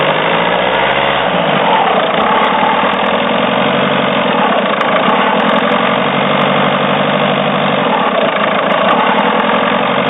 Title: Citroen C4 strange engine noise